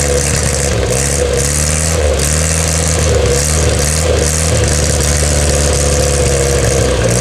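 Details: 1962 Austin Healey Sprite Mk2 with the 948cc engine, on its first start in over 40 years: a smooth, even idle that climbs cleanly through throttle blips and settles back without misses; running healthy.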